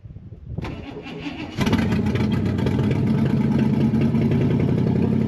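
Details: Barn-find big-block V8, after fuel was added to the fuel bowl: starter cranks about a second, then it catches and settles into a lumpy, even idle with no knocks.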